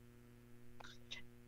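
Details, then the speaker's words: Live radio show audio through DJ mixer: constant low electrical buzz under faint breathy sounds, persisting across multiple outlets; host suspects a grounding issue, unconfirmed. "I don't know if it's a grounding issue I've tried plugging into multiple different outlets here but no matter what there's a strange kind of electrical buzzing noise"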